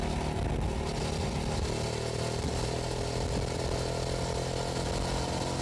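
Steady twin-cylinder drone at cruising speed over wind and road noise, even firing on both cylinders; bike runs clean.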